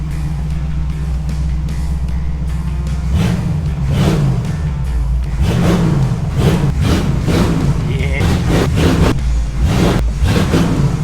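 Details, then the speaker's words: 1947 Ford F100 with a Ford 302 V8, first start right after swapping the poor-running Holley for an Edelbrock carburetor, electric choke kicking in. Fired up quickly; low, steady V8 burble rising on light revs and settling; normal idle. "all right that sounds pretty good that fired up pretty quick"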